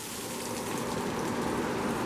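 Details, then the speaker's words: Shop-built cyclone dust collector with the new 2.5 HP DC motor, turned up on the speed controller: soft, even rush of air with no rattle, whistle or motor strain, pulling cleanly and very quietly. "I can't believe how quiet it is. I can hear the air going through it pretty good."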